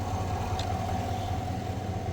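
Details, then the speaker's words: 2020-2021 Chevrolet Silverado at idle after replacing idler pulley and serpentine belt, heard through a funnel at the idler pulley bolt: steady, even idle hum with no whine or chirp; normal idle, quiet idler pulley. "start it up, make sure we don't hear no whine. So far, so good. Yeah. Let me take a listen down there. Oh, that's night and day difference."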